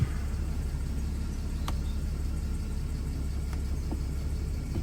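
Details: Mercedes Sprinter V6 camper, manual gearbox, 222,785 miles, after fitting new gear stick, cables and linkage: catches at once and settles into an even steady low rumble, no misses or knocks. Healthy idle.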